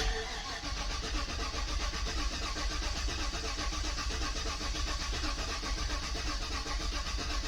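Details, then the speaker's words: 2018 Chevrolet Suburban LS V8, overheated and misfiring on one bank, suspected blown head gasket, engine very hot, injector fuses pulled to build oil pressure: slow, labored crank at about one beat per second from a weak battery. "Alright, let's see. Battery is weak."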